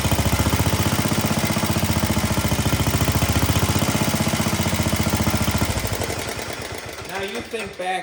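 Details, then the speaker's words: Cub Cadet 72 garden tractor with a 7 horsepower single-cylinder engine, very low on gas: strong, even thumping at a steady speed, then it fades and sputters out at the end; otherwise runs healthy. "The 72 seems to run quite well, and actually we're going to fire it here tonight in the video. Love the sound of these cooler 7 horsepower motors."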